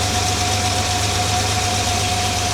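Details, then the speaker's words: Jaguar XJ6 after a head gasket replacement and camshaft retiming, cold idle at about 1,000 rpm, charging, with great oil pressure. A smooth, even low rumble with no misses or knocks, smoother than it usually is cold. Finding: normal cold idle. "We'll let it all continue to warm up here and see how it goes. I dare say it's smoother than it usually is cold. 1,000 RPM idle."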